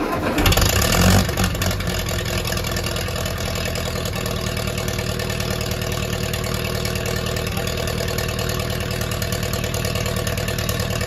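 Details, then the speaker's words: Ferguson T20 tractor, a barn find, running to test the used hydraulic pump after the gearbox and rear end were cleaned and refilled with oil: a brief start-up roar, then an even, steady, low idle with no knocks or misses. The pump works. "great the pump is working so it's time to close this up again"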